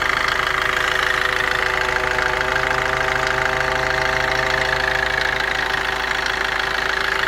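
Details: Opel/Vauxhall Corsa/Combo engine at idle: a steady, fan-like whir with a high hum, though the cooling fan is off. It comes only intermittently and sounds the same regardless of acceleration. Source unknown.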